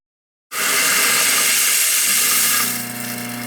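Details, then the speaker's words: Old, somewhat rusty garbage disposal fed a tray of ice with water: loud rattly grinding of the ice settles into a smooth, steady motor hum; the disposal is running normally. "That sounds good. Doesn't it sound better now? Yeah. With the little ice trick?"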